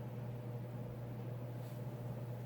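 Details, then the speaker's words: Mid-1980s Sears Turn of the Century 5-blade ceiling fan (Lasko, Sanyo motor, model 435.115500) on high in reverse: quiet steady hum, soft airy wash, no rubbing or ticking; performs in reverse as well as forward. "performing in Reverse just as well it but as it performs one forward"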